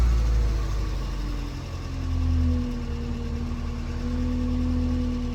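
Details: Ford Festiva small petrol engine just started after oil change: steady low rumble and even beat at idle under background music, oil light off; normal healthy idle.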